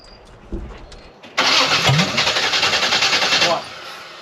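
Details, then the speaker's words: Blueprint 540 big-block Chevy in a C10 with a Holley 870 cfm Street Avenger, on a setup and start attempt. Steady cranking for about two seconds that never catches; it acts way out on timing and a distributor reclock is considered. Hard starting. "That man it ran it might back the carburetor I'm not [Music] sure man that's acting like it's way out on timing"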